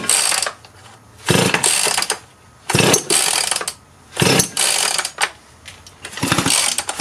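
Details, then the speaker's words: Husqvarna 51 chainsaw after carburetor, air filter and pull-cord replacement, switch on run with choke: repeated pull-cord rips, engine never fires despite strong spark; saw cranks but won't start. "so fiddling around at this trying to get it started it would not start"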